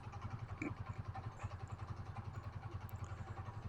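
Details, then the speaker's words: Yamaha Mio GT 125 with lost compression, after engine oil change: idle thumping three to four times a second with light clatter on top; noisy engine, mechanic suspects worn cylinder bore or piston. "Ya kemungkinan ini e seahar yang sudah kena ataupun pistonnya sudah kena ya makanya bunyinya itu berisik"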